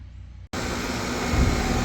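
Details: Ruud AC unit that dimmed house lights on hot restart, after replacing bad capacitor (new one measured 61 µF); after brief silence it kicks on to steady even whoosh and hum, no hard-start groan, warm air out — normal running.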